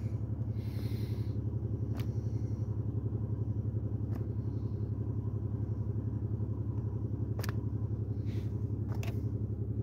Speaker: very rough idle I don't know if you can hear that got serious misfire so let's see what we got